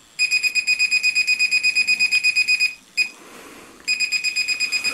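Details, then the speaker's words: SJRC F11 GPS brushless drone (1806 brushless motors, 11.1V 2500mAh battery) powered on; steady high-pitched beeps nearly three a second with a brief gap, beeping worse when recording via transmitter. Normal operating beep. "so it's got a really annoying beep, and it really is annoying."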